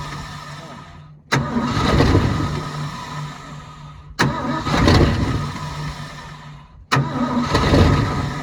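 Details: 1972 Ford F-350 auction truck, chilly day: three tries, each cranks, fires, runs roughly a couple of seconds and dies; owner says it's not pumping fuel though carb bowls are full.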